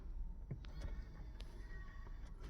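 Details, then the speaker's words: Porsche 997 Turbo rear spoiler after an Eram electric kit was installed to replace the leaking hydraulics, activated from inside with the ignition on: faint electric motor whirr with light clicks as the wing rises smoothly without strain; the actuator works normally. "You can hear it coming up in the back."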